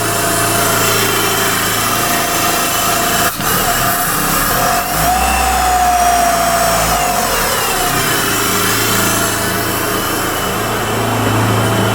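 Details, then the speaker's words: 1995 Eagle Summit wagon, rebuilt 4G64: smooth, even idle that climbs cleanly on a short rev and settles back with no misses or knocks. Owner thinks the engine lacks balance shafts, so idle vibration is higher. Normal. "Alright, here's another look at the engine running. It's running smooth. I'm holding the hood prop because I don't think this engine has balance shafts, and at idle there's more vibration."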